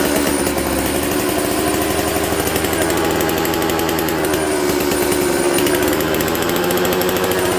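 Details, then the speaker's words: Dolmar 153 chainsaw, two-stroke, after a faulty Bosch ignition was made to work, low jet about 1¾ turns out, idle screw not touching: loud buzzy idle that drifts up and hangs. Carburetor air leak at a known spot. "So when you listen to this thing, this is what an air leak sounds like. I know where it's leaking. I've dealt with this before."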